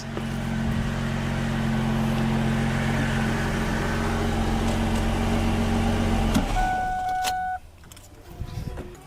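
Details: 2004 Ford Mustang that sat in the desert for an unknown time, possibly a couple of years, first run after work: steady, even idle with a smooth low rumble and no knocks or misses, then shut off. Runs healthy; a bent cooler line was found later.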